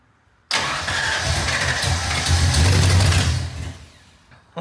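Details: Ford Mustang V8 (1986–93 era) first start attempt after build: starter spins the engine evenly about three and a half seconds but it never fires; fuel smelled, owner checks firing order and timing, and it later runs extremely rich with an exhaust leak.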